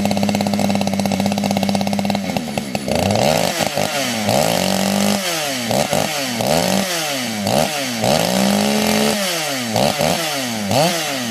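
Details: Fully built 60cc chainsaw, widened venturi, tuned with ignition advance, started with no choke or high idle: fires and settles into crisp high scream, revving up and down cleanly with no bogging; well tuned, normal running.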